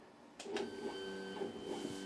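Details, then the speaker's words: Redvision X-series PTZ CCTV camera after checking itself, moving fast to preset 3: smooth whirring motor drone with a few soft clicks as head swings; normal pan/tilt motor operation. "and it goes to preset free that won't go off at the bottom in a minute it's checked itself and decided to go to preset free now for they are pretty fast"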